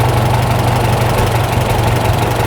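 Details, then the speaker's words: Farmall tractor with a freshly rebuilt carburetor, idle mixture screw turned back in after a flutter: a steady, even low rumble with evenly spaced pulses and no hunting. A smooth, normal idle. "You screw that back in to make it run a little better."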